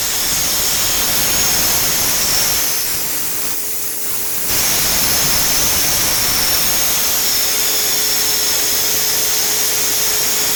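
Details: Renner RS Top 7.5 kW screw air compressor (about 1 m³/min), built 2013, just under 5,000 working hours, regularly maintained with air/oil separator, oil filter and air filter replaced: steady, even airy rush with a faint constant hum, no knocks or rattles, running smoothly and healthy.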